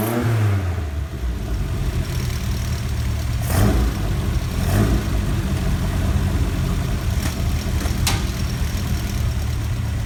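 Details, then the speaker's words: Ford Kent Crossflow 711M with Dellorto carbs, freshly fitted AccuSpark electronic ignition, distributor cap rotated 180°: fresh start, lumpy idle with sharp irregular pops spitting back through carb throat and light tapping; owner suspects rockers need adjusting. "Spitting back a little bit through that front throat of the car, and I can hear a little bit of a tapping noise, so I think it might be rockers need adjusting."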